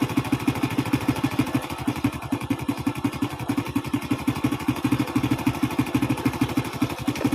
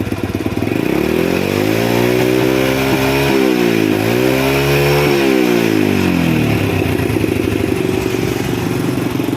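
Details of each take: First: Carbureted single-cylinder motorcycle with black-fouling plugs and hard starting, after carburetor cleaning: steady, even putter about three firings a second, no misses or stumbles; idles cleanly, though weak CDI ignition found. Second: Single-cylinder carbureted motorcycle that is hard to start, dies quickly, fouls plugs black and wastes fuel, before carburetor repair: it revs up and down twice, rough and spluttery at the top, and blows black sooty exhaust; it runs rich from a carburetor fault.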